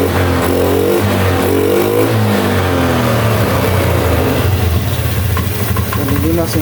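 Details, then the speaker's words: Honda Beat ESP scooter that showed blink codes 7, 11, 12 and 52, after the couplers were checked and refitted: starts easily, idles smoothly, and revs rise and fall cleanly with no knock or misfire; runs healthy. "sekarang kita starter motornya mudah hidup tap enak guys"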